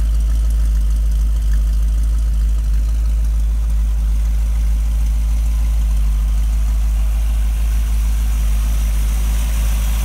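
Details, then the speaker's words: Rebuilt 1965 Chevy 283 V8 in Model A Ford hotrod chassis, S10 5-speed, broken in, no street miles, quiet temporary-hung mufflers: steady even idle rumble, no knocks or ticks; good oil pressure at idle, charging, healthy. "The engine's been broken in, no street miles, good oil pressure on idle, charging."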